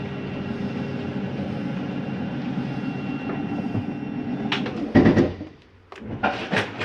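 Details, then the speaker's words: Keystone Lorado 329RE RV slide-out retracting; steady motor drone then a burst of hard clunks as the slide bottoms out; normal end-of-travel override clunk, nothing wrong. "that noise is okay to hear that's just a slide mechanism telling itself not to come in any further almost sounds like a clunking noise but it's just an override"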